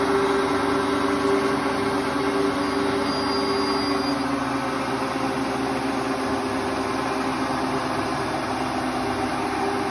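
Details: Hotpoint Ultima WT960 washing machine after drum bearing change, spinning at high speed: steady high-speed spin, smooth constant hum, no rumble or grinding; new bearings sound healthy.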